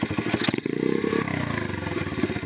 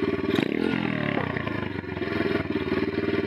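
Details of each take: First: Single-cylinder bike, carburettor tuning with air screw fully closed (factory setting 1.5 turns out): revs briefly, then off throttle the beat slows too far and stumbles; mixture too rich. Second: Bike after carburettor tuning with slide adjustment: quick blip rises and drops straight back to a low steady idle without hanging or stumbling; clean throttle response.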